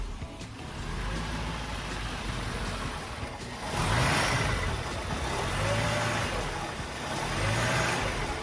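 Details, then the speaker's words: 1983 Mercedes-Benz W126 380SEC Euro spec hunting at warm idle, rising and falling every couple of seconds in uneven swells as if about to stall; it now dies at stops in park and drive; cause unknown, OVP relay and vacuum leaks considered. "Sometimes the needle will fluctuate up and down. It'll go up and down real fast. It'll act like it wants to die out. All right, guys, what causes this? It's surging."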